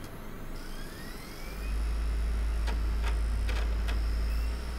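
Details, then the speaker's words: Optical drive reading a badly scratched CD before a toothpaste polishing attempt at data recovery; a low steady whir broken by sharp clunks roughly every half second as the drive hits read errors. "yeah so is getting read errors you can that mean weird clunking sounds coming from the drive as you might expect"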